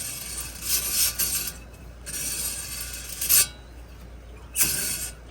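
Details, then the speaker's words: 2006 Dodge Dakota SLT 4.7L 4WD, rotor removed and front hub turned by hand: rough, gritty scraping in uneven bursts from a worn front wheel bearing that is being replaced. "Can you guys hear that? Just imagine going down the road and that scraping and grinding."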